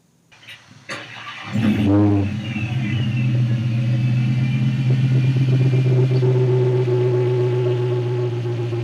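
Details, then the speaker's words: 2016 Dodge Challenger SRT Hellcat, 6.2L supercharged HEMI V8, starting, blipping, then idling; steady whine over engine note louder than it should be at idle, suspected supercharger bearing whine at idle. "obviously we all know superchargers are a bunch of whiners while they're under load but at idle you should not be hearing this much whining make sure the one you're buying doesn't whine at idle"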